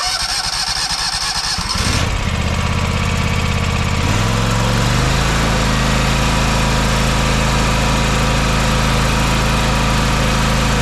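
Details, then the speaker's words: John Deere X570 garden tractor restarted after a full service (oil change, new fuel filter not yet full of fuel): cranks, catches and settles into a steady, even, buttery-smooth idle with no misses or knocks. "buttery smooth"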